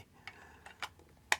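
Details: Nikon SB-700 Speedlight after repair of drop damage, with the zoom motor's axle plastic bearing refitted: quiet, short, irregular ticks as the zoom head steps, no grinding, the zoom drive working normally.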